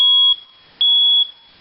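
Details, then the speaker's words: Hardwired smoke detector with backup battery, test button pressed after fitting a new battery: two sharp shrill beeps, about half a second each with a short gap; alarm sounds normally on test. "Hit the button again for testing."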